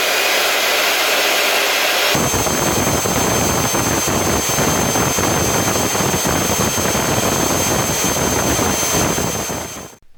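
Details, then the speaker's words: LG V-3340D vacuum cleaner's original motor, noisy for some time (bearing suspected): harsh high rushing whine with thin steady tone and rough crackle; obvious sparking from one brush along the commutator, likely source of unpleasant smell. "You could also see some pretty obvious sparking on one of the brushes. Sparks were flying out along the commutator. That's probably where the slightly unpleasant smell from this motor comes from."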